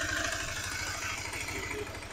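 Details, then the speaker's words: Honda CB150R (LED model) with leaking radiator and overheating, before major service: harsh metallic clatter over a quick idle beat, rough and noisy throughout. "banget pokoknya di telinga tuh gak nyaman suaranya kasar radiatornya bocor overheat juga"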